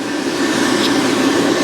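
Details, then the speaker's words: 2017 Central Boiler Classic Edge 550 outdoor wood boiler, after replacing the combustion draft blower, mic held near it: smooth steady whir, even mid-pitched hum, no rattle; now very quiet versus the earlier rickety sound. "Heck, it's running like a turbo engine now. So as you can hear, the blower is now very, very quiet compared to the rickety sound it was making before."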